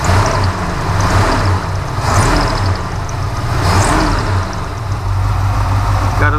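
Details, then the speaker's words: 1963 Ford F100 with a 302 HO small block and a newly fitted Amazon knockoff Edelbrock 4-barrel carburetor: steady, even V8 idle with a faint chirp now and then. It idles well, with only a slightly squeaky belt. "a little squeaky belt there, but it's idling good. I don't foresee any issues with it."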